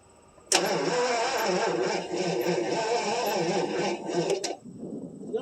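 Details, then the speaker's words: 1977 Mercury Marquis, 400 V8, parked since 1997: steady starter churning about three turns a second, never fires; no spark found, Duraspark ignition box appears to be leaking. "Crank it. I don't think you got any spark. Crank it."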